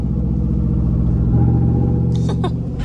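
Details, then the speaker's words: 2011 GMC Sierra or 2012 Chevy Tahoe 5.3 L V8 on light load at low road speed: low rumble shifting as Active Fuel Management drops to V4 and pops back to V8 repeatedly, worse in overdrive or tow mode; before fitting an AFM/DFM disabler. "now and there is V8 popping back in which I mean it's it sounds all it sounds cool but it's very annoying after the first time you hear it so just in and out like crazy"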